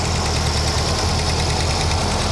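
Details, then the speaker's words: Car brought down to idle after a drive: steady idle with a fast, light tick following engine speed, worsening each drive; owner suspects exhaust manifold leak, a clacking valve, or both. "Now you hear the clicky clacky. That is either exhaust manifold leak, u clacking valve, or a combination of the two."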